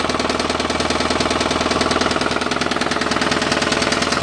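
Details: Mitsubishi Mighty Max mini truck engine running with a steady, hard knock about three times a second; rod knock suspected.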